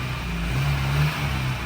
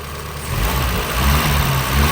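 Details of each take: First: Porsche 924 running for the first time in over 10 years, on its first test drive: steady even low drone with no knocks, misses or ticks; engine running smoothly. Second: Porsche 924 first start after over 10 years parked, nearly at operating temperature: uneven lumpy stumbling running that clears as it runs; suspected old fuel, not confirmed.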